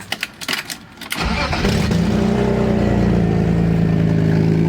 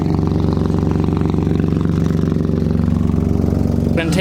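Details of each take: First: BMW E36 drift car after cold start, before exhaust-putty patch; loud deep chuffing tractor-like rumble, quieter once warm but bad while driving; exhaust leak. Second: BMW E36 drift car after patching a bad exhaust leak with exhaust putty: steady even low exhaust pulses, no puffing or ticking from a leak, then a short sharp pop/backfire; normal exhaust note.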